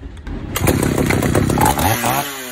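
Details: Vintage Pioneer P41 66cc chainsaw, mixture screw turned out a quarter turn because it bogged lean at full throttle: now pulls to a hard, steady high-rev scream without bogging, then drops back; strong clean run.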